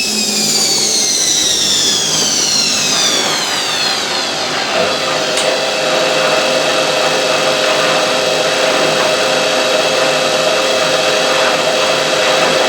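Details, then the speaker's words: Hotpoint 9530 washing machine with new carbon brushes, test cycle: high motor whine drops and settles into steady spin tone with mild uneven pulse, drum pulled to one side, pulsing attributed to timer; normal spin. "see the way the drum gets pulled to one [Music] side don't worry it it pulses like that it's the uh timer"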